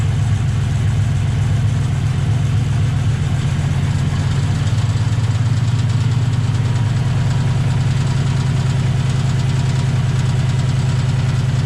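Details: 2008 Ford Mustang GT V8 with a sudden misfire on the passenger-side bank; deep, uneven loping idle of about two and a half beats per second. Plugs and injectors didn't cure it; the cause was an air leak at the PCV tube from a cracked cold air intake.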